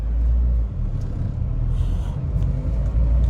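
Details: 2011 Mahindra Verito turning the steering at standstill after repair: only low engine rumble, no clunk; the earlier tik tik sound came mainly from a broken spring plus weak mount bearing, now fixed.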